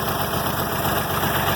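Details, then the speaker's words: International 706 tractor with D436 diesel, first cold start in months after sitting outside all winter, about 40°F: a lumpy, uneven clatter with an irregular low beat at idle. It is misfiring shortly after starting; oil pressure is up. "Misfiring, hear that? They'll start purring here shortly. Hopefully."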